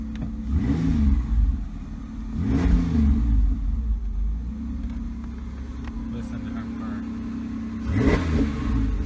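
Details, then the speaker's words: Ford Ranger after intake gasket replacement, started on a freezing day (smoking from cold): engine catches, settles into a steady even low idle with a couple of brief revs, no knocks or misses; running okay. "Oh yeah, she seems like she's running okay right now."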